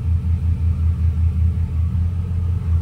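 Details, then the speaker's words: 2006 Chevrolet Silverado with a used 5.3L V8 swapped in, first start while coolant circulates, transmission not yet connected, battery light on: deep, even rumble with no ticking, unlike the old engine's ticking. Normal idle. "I mean it's definitely running good there's no real noises like it was on the old motor definitely not that ticking noise so it's already better"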